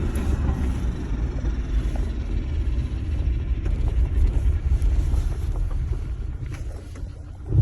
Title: Strange noise suzuki sidekick both hubs off only transfer case is on 4H